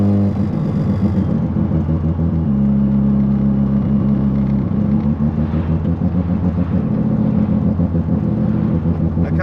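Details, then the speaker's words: Ported Mazda FC RX-7 rotary on a stop-start road drive after long disuse: lumpy, choppy burble with steady deep drone under light load; loud but conversation possible in the cabin; healthy ported rotary. "sounds bloody awesome and it is a bit loud not crazy loud like if I had someone else in the car here I could have have a conversation with them it's definitely not a loud rotary"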